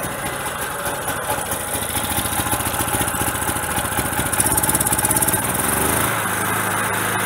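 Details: Generator on gas fed through regulator to carburetor, small bottle very cold with too little tank pressure, choke closed to run: uneven loping beat, speed sagging and surging then settling; fuel starvation, bigger bottle needed.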